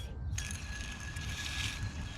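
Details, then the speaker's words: Ford F-450 idler pulley removed and spun by hand: thin, steady high ring over a gritty rumble as it coasts; crusty pulley, to be replaced. "but it is definitely definitely in need of a changing it's loud this one here you can actually see like the bearing is completely shot out of it"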